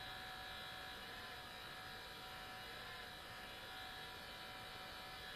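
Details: New Sony Vaio CS11S/W laptop under full load, about 60 dB, cores at 100°C and throttling: steady high airy rush with a thin whine, no pulsing; caused by a mechanically faulty cooling fan.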